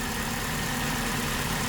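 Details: 2003 Saturn Vue AWD first start after off-road accident: even, steady idle with light ticking but no knock, miss or rattle standing out; engine ticking over normally.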